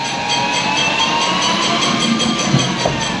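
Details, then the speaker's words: Chinese 3000 W electric motor and controller wired into a UTV jeep, jacked up on stands with wheels spinning free under throttle: steady hiss and light scraping over smooth motor whine; dragging brakes, said to be fine, drive otherwise sounds fine. "now that sound you hear is the brakes which is gonna be fine"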